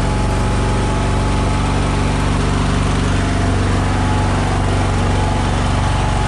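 Steady low engine drone with an uneven, loping beat around two to three pulses a second; it's running rough, cause unclear.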